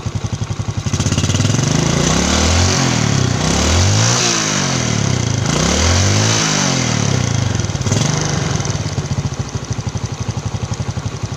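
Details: Yamaha Jupiter Z Robot, after fitting a Vega ZR one-way starter clutch for a rough engine sound: single-cylinder engine blips up and settles back smoothly, even firing, no rattle or roughness; normal running.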